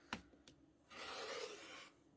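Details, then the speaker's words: Rotary fabric cutter with a brand-new blade: a light, even rasp lasting about a second as it glides through fabric with almost no pushing, a sharp blade cutting cleanly. "Now, I gotta tell you guys, normally I am pushing pretty hard when I move this thing across, but with this brand new blade, I am just guiding it along."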